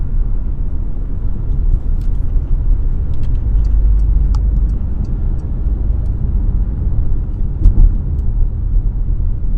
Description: humming noise while driving.